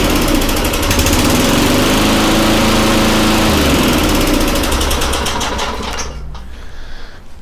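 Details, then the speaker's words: Very old Tecumseh engine (rear spark plug) on an Eager 1 / Craftsman mower, after oiling cables and a choke-to-primer conversion: even, steady putter at fairly low speed, then winds down; sounds pretty decent, maybe a little slow, normal running. "i could put a tack on there excuse me but it sounds pretty decent it might be a little slow"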